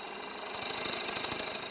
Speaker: When you turn, you listen, and you can hear that little knocking noise right now. That's because I'm turning into an area where there's a shadow or a void